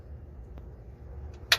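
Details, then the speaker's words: PT6 turboprop on an engine stand before start, with external power and inverter on, power lever at idle, prop feathered and condition lever at cutoff: one sharp click over a low hum as the fuel shutoff valve opens; normal. "Select fuel shutoff to open"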